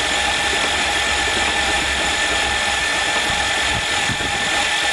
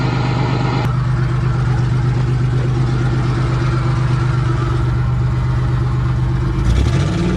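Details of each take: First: Hydrolocked van engine after being driven into a lake, spark plugs out, water spraying from cylinders: starter spins the engine fast and evenly with no compression pulses, steady whirring churn; starter healthy. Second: Van running after hydrolock repair, with water dumped out through the removed intake manifold: steady, even idle for several seconds, then smooth revs rising and settling with no knock or miss; healthy running engine.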